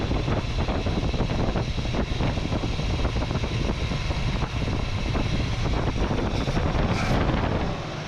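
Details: 1967 Chevrolet Camaro V8 revived after six years of neglect, carburetor idle circuit cleaned after it idled on about four cylinders; now a steady, even low rumble, quiet through cheap turbo-style mufflers, no misses or knocks: normal idle.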